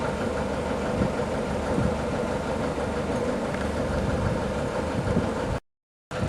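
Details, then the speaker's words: New TDME-490 58 hp marine diesel in a motorboat, heard in the saloon at idle with no soundproofing on floors or bulkheads: even, steady low clatter without irregular knocks; healthy idle. "Вот такой шум слышно в кают-компании при холостых оборотах."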